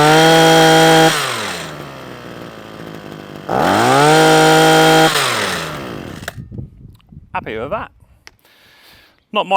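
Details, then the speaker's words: Parkside two-stroke hedge trimmer after a new carburettor diaphragm and a cleaned fuel screen: it revs sharply to a high buzz twice and drops back cleanly with no stumbling or cutting out. It runs properly now. "right so that's a Parkside hedge trimmer now all up and running and doing exactly what it should do"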